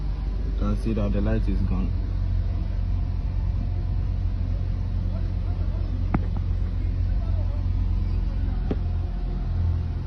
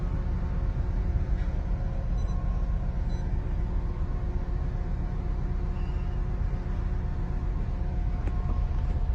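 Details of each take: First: Honda Accord at idle after replacing spark plugs and ignition coils for a cylinder 2 ignition coil fault, with codes cleared: a steady, even low rumble with no shaking or stumble. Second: Honda Accord with flashing check-engine light, low uneven idle with a loose stumbling beat about every two-thirds of a second; scan shows cylinder 2 ignition coil circuit fault and cylinder 2 plus random misfire.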